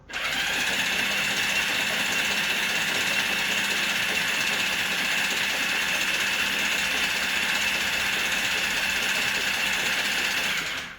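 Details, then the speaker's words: 1982 Kawasaki KZ750, sat in a barn for years, exhaust off and penetrating oil sprayed into cylinders: even starter whir turns the motor over smoothly with no catching, stuck pistons and rings now crank freely. "There we are. That's a lot better. That sounds a lot better."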